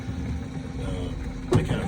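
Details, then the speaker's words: Matador bowling ball lift motor running before a game: low motor hum with a sharp clunk as the lift arms flop over the top and hit the bracket on the ball return trough, despite adjustment. "one of the sounds is the motor actually read it the armed security little flash did they come up over and they hit the bracket that sticks out from the top of the ball return trough there"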